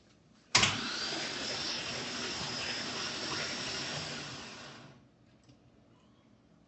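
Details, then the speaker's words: C3 Corvette with swapped LS1 engine, first crank after wiring the starter: about four seconds of even starter whirring with no firing, then it stops. Normal cranking while checking for oil pressure. "here goes the first crank I actually did uh bump the starter and it actually did engage so okay I'm looking to see if whole pressure comes up"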